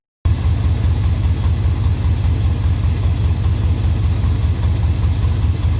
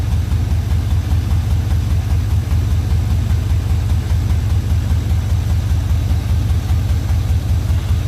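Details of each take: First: Suburban with OBS swap: steady, even low rumble at idle with no knocks or misses; engine idles smoothly, extra noise is just a poor exhaust. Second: OBS Suburban swap at idle: a steady, even idle with a deep, rough exhaust throb about 2.5 pulses a second; the owner says it is just a poor, leaky exhaust, not engine trouble.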